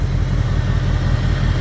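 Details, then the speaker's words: 2002 Jeep Grand Cherokee 4.7 HO V8 with coil melting problem: low, heavy idle with uneven stumbling beat; still missing after plugging coil 3 back in, misfire at idle, cause not yet found. "Plugging coil 3 back in does not solve the problem. Still missing. It still runs like shit."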